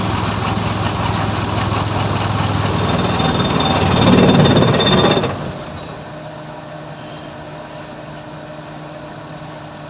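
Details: F6A engine after a hard-starting fix: it revs up loud and rattly, then settles into a quiet, steady, even idle hum with no stumbling, running normally.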